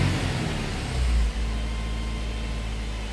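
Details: Nissan X-Trail: steady even hum noticeably above normal idle that never settles down; high idle, cause not confirmed.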